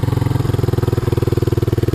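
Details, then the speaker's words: 1986 Honda TRX200SX single-cylinder quad at idle after steering shaft repair: loud sharp popping about eighteen even beats a second, harsher than normal; exhaust rotted, cracked and previously repaired, owner plans a clamp to quiet it and a new exhaust. "shut her down need new exhaust because uh looks like it's been rare repaired a couple times so I'm just going to get a clamp put it all the way around to hold that sheet metal back on to quiet it up a bit because she is really rough rotted lots of cracks through the whole thing"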